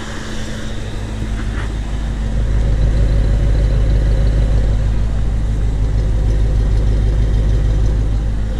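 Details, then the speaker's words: 1993 Chevrolet C4 Corvette V8 with new rebuilt engine, idling after fixing a misfire by swapping crossed spark plug wires between two cylinders; low even beat, no stumbles, all eight cylinders firing; normal idle after repair. "let's just see what happens now oh that's incredible that's that's a big difference"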